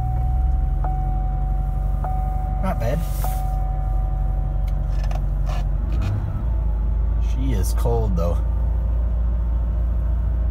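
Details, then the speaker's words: 2006 Chevy Equinox cold start at -8°F (-22 wind chill), unstarted for four days: uneven low drone, idle sagging then stepping up after about six seconds. The creak on throttle-up is the throttle blade binding in the cold. "she doesn't relent on all cylinders either you know it's not good when idols back up"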